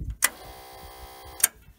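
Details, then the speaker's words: 2000 Allmand TLB-25 backhoe with 25 hp Kohler twin gas engine: newly fitted electric fuel pump wired to the switch buzzes cleanly for about a second and stops with a click; normal priming. "I got that fuel pump hooked into the switch here"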